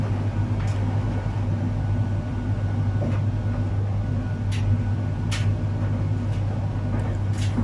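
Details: Arçelik 3891 KT A++ 9 kg heat-pump tumble dryer running the cupboard-dry program (No. 3): steady low hum with occasional compressor sound and light drum clicks; normal running.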